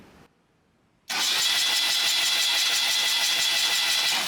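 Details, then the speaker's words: Freshly restored 1977 BMW R75/7, cranked again to confirm oil reaches both intake and exhaust rocker arms: after a pause the starter spins to a steady high whine for about three seconds, even and unbroken, no firing. Normal cranking. "But just to double check that it comes on both ends, like intake and exhaust, we are going to crank it again."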